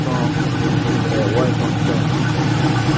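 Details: LS-swapped Buick Regal, just after thermostat replacement, started with radiator cap off before adding coolant to check for leaks: steady, even low rumble with no knocks, misses or surges; normal idle.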